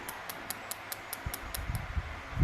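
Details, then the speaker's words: Air-cooled Porsche 911 being converted to turbo and EFI, bench dry run of Ecumaster EMU Black ECU and loom: coil pulled with an old spark plug fitted, crisp even snapping ticks about five a second, no misses; coils firing normally. "and you could just see the Sparks I'll do it again yeah so coils are working um well everything's working actually"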